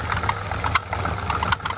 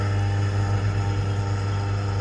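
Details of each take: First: Car-washing water pump running on a very hot electric motor: steady drone with irregular sharp knocks and jerks about every half second. With the belt removed the motor runs quietly, so the knocking is from the pump, bearing suspected gone. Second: Car-washing pump with a replacement motor, fitted after the original burnt out, running: an even, steady motor hum with no knocking, rattling or surging; the pump motor runs normally.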